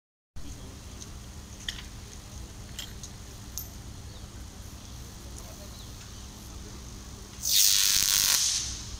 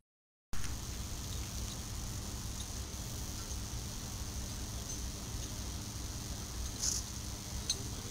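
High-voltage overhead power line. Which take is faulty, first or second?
first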